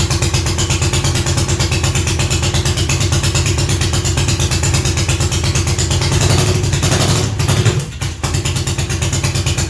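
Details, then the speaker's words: Classic Triumph TR6 twin motorcycle, hard start, runs on starting fluid: loud ragged uneven firing, falters and nearly dies when throttle opens, pops if run long. Ignition timing suspected; stator also suspected. "i'm trying to give it any gas at all it shuts out and if i keep it running for a long period of time it'll start popping"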